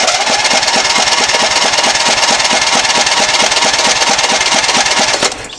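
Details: Lawn tractor with 16 hp overhead-valve Briggs & Stratton engine cranks with a steady chug, about two compression beats a second, never catching; spark tester flashes so coil is good, plug black and fouled; cranks but won't start.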